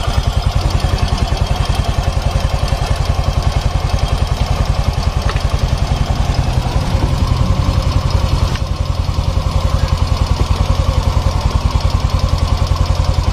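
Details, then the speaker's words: Yamaha Mio 125 automatic scooter, hot idle after a long ride: sharp, even, loud ticking at about 3.5 per second, louder as the engine heats and with rpm; valve clearance too loose, to be adjusted. "suaranya nyaring kayak gini nggak samar ini kan suaranya nggak nggak samar nih nyaring tidak sama suaranya ini dari setelan klep terlalu longgar nih"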